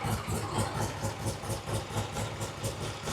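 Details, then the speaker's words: 1967 Triumph TR6 motorcycle twin with monoblock carburetor, first start after repair work: steady, even low idle with a soft regular pulse, no misses or knocks; idling cleanly. "Damn, that thing sounds good. Yeah, it's really good. That's a great idle."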